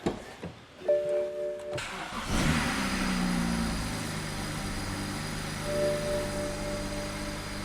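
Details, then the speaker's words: 2010 BMW 535i E60 after intake valve walnut blasting and manifold reinstall: starter cranks briefly, engine catches, flares, then settles to smooth steady idle with no misses or ticking; healthy. "All right, now that we're done walnut blasting the intake valves and we've ran the engine and it's running how it should, we're gonna be doing a few more cleaning procedures with a couple of different chemicals."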